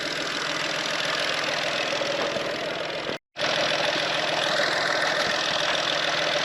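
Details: VW engine after water pump replacement and a test drive: steady, even idle under a hissy background, with no knocks, squeals or rattles; running normally, water level still to be monitored.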